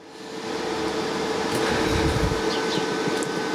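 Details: Evakool EM55 knockoff fridge compressor starting with a new SY Beier controller board: kicks in, ramps up within half a second, then holds a steady even clean hum; normal compressor running.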